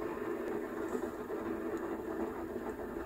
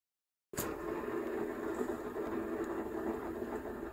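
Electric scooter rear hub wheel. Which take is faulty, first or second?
first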